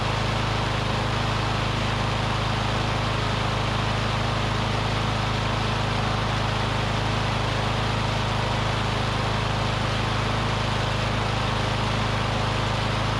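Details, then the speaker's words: Curbside Briggs & Stratton Classic push mower engine; owner thinks debris in the fuel pickup tube cleared, and it holds a steady, even low drone with a regular firing beat, running cleanly on its own fuel. Normal running. "seemed like it just maybe had a little something in the pickup tube and it it picked it up because it's running on its own fuel now"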